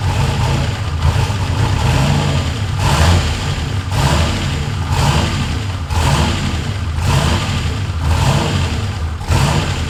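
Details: Ford F100 with swapped turbo LS1 V8 (Holley), after the throttle butterfly stop screw adjustment meant to raise idle off the idle air control motor: deep, slightly lumpy idle with a gentle surge about once a second, steady overall; normal idle.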